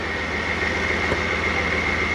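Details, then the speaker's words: Toyota 1UZ V8 in a barn-find FJ40 Land Cruiser, not yet warm: steady even running with smooth low rumble and constant high tone, no knocks or misses; normal running. "that sounds real good and then we'll get it warm"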